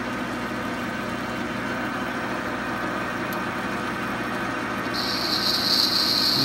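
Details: Lathe boring cut at about 220 rpm with a stepped boring bar, machining a Quorn tool grinder tilting bracket. A steady low motor hum with a clean, even high hiss as the tool bites, and no chatter: a healthy cut.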